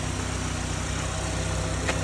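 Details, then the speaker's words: 2009 Chevrolet HHR started with a jump box and moved forward and backward: steady, even idle with a smooth regular pulse and no knocks or misses. Engine sounds healthy. "Start it up with the jump. Moving it forward and backward. Sounds pretty good."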